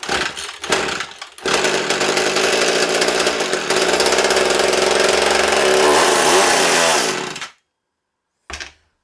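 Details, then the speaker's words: Old McCulloch 110 chainsaw revived from junk pile, tank patched with Flex Seal; sharp raspy two-stroke buzz fairly steady several seconds then cuts off; saw runs, tank still leaking and likely needs replacement. "the saw runs but i think i'm gonna have to order a new tank so thanks"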